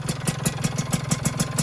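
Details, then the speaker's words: Rebuilt two-stroke on first run, cold, with piston clearance deliberately left loose: sharp ticks about six per second over a lumpy idle, piston slap; owner hopes it quiets as the piston expands when hot. "seperti yang saya bilang di video di awal teman-teman, piston PIM itu sedikit kurang ya. Nah jadi ini agak sedikit ngelitik ya,"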